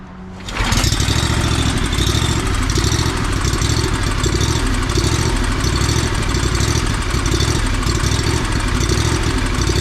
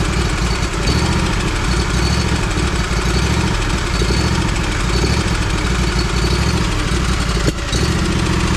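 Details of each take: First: Lawn mower that started running poorly; uneven, ragged idle that dips and surges; owner suspects fuel starvation from a clogged fuel filter, possibly carburetor, governor or low jet adjustment. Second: Lawn mower that ran rough, just after fuel filter replacement: steady low putter, no stumbling or surging, running cleanly; new fuel filter cleared up the problem.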